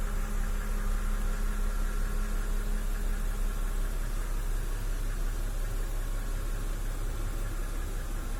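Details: BMW N52B25 inline-six petrol, 2009, 120,000 km, at idle: light, regular knock near three per second under a smooth hum, heard best from below on a lift; owner suspects lifter, camshaft bearing bore or crank bearings, not confirmed.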